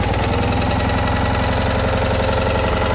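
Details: Citroën Ami 8 flat-twin, warm, run without its cooling fan: lumpy, uneven chuffing idle with skipped beats and coughing through the carburettor; heavy points sparking, weak plug spark; owner blames the ignition condenser for the misfire.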